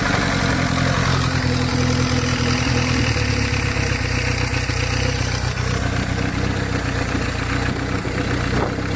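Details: 1981 Toyota Corolla TE72 with swapped Nissan KA24DE, high-compression SOHC pistons and open downpipe: rough idle with a dull, uneven knock about four a second under the engine note, a worn connecting rod bearing; rod knock, blamed on untrustworthy machinist.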